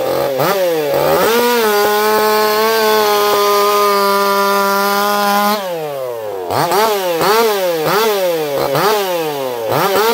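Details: Echo CS4910 chainsaw with experimental taper-top piston/crank swap, ported for open crank, running a little warm, compression about 180 psi cold, 170 warm; high screaming revs dip into cuts and recover fast, no bogging or sputter, healthy.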